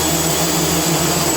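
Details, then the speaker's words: Quadcopter on PID tuning stand, INAV firmware, pitch P gain lowered from 25 to 20: high motor whine surges at full throttle and wavers slower but still oscillates; P gain still too high. "okay see how the oscillation were slower but it's still oscillated so p is still too high"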